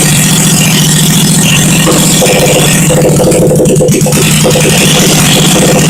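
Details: 1971 Honda SL350 first start after engine rebuild, kick-started on choke, carbs primed, points ignition on temporary battery feed, no throttle cable: rough, rattly idle holding steady without stalling; rebuilt engine fires and runs.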